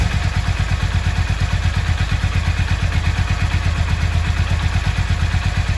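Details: Yamaha XV 535 Virago V-twin, laid up about 10 years, just started: steady even low thump with no knocks or misses; runs smoothly.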